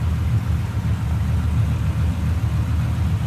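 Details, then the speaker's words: 1950 Ford Custom Deluxe Club Coupe flathead V8, heard at the tailpipes at slow idle: low, even burbling rumble, smooth and steady with no knocks or misses, not smoking; normal idle. "A little rumble coming out of that flathead. Not smoking or anything like that. Nice running car."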